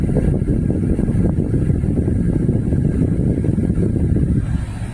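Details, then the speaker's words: 2014 Dodge Durango 3.6 Pentastar after oil cooler replacement, warm idle with thermostat open, 48 psi oil pressure, transmission temp 86: steady low rumble with radiator fans whooshing, even and free of knocks; normal idle. "all I know is that the engine fans are on I can hear them running um and the thermostat has opened"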